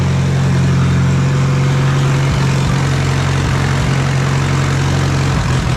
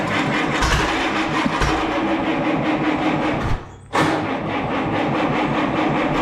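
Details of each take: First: Allis Chalmers B tractor gas engine, running on gasoline by itself after long repair work. A low, deep idle holds steady with only a couple of brief dips. Normal idle. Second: Allis Chalmers B tractor, radiator off, running only on a steady stream of ether: uneven chugging that cuts out completely then fires again; runs only on ether, fuel starvation from a sticking carburetor float needle.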